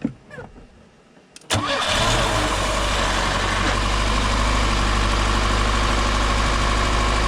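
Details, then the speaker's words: Car fitted with a new universal electric fuel pump replacing the old mechanical pump, holding about 7 psi: a quick crank, then it fires and settles into a smooth, steady, even idle with no misses. "That was easy. Sounds pretty happy, but"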